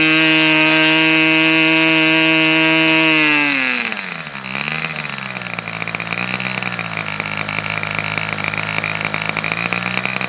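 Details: Fox twin-cylinder glow model engine, probably the final run, cooler windy conditions: high, steady screaming run drops cleanly to a smooth even idle, both cylinders firing evenly; healthy engine.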